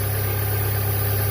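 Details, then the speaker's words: 2005 Chevrolet Cavalier 2.2 four-cylinder, 322,000 miles, P0301 misfire, after new intake gaskets, oil pressure switch and crank sensor: smooth, even low idle with a steady rumble and no skipped beats, firing cleanly on all cylinders; called fixed. "all right well I call that a fix and uh car seems to be running better time will tell"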